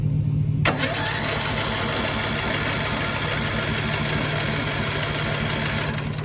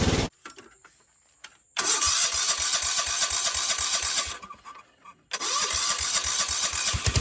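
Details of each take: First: Cheap broken riding mower with spark, fuel and starting fluid given: the starter churns the engine over at an even, fairly quick pace but it never catches. A bad valve is suspected. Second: Cheap non-running riding mower started with brake pressed, in neutral: starter cranks, engine catches into quick steady putter, cuts out briefly, restarts and runs evenly; carburetor float bracket broken, so tuned with fuel cutoff valve.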